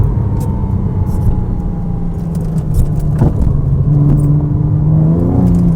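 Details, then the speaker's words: Porsche Cayman S 987 salvage rebuild with an aftermarket exhaust, pulling through the gears from about 4,500 rpm to the redline: a deep rumble rising with revs, loud but a healthy sporty note; slight drone only around 2,500 rpm. "but where this exhaust really shines is 4 and 1/2 all the way to the red line"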